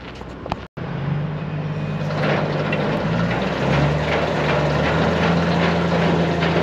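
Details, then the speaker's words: New Mas silage trailer's hydraulically driven apron chain running. Steady low hydraulic hum with even chain rattle, no jerks or clanks. Chain runs smooth and quiet, normal. "One of the things you'll notice is how smooth and quiet this chain runs in this unit."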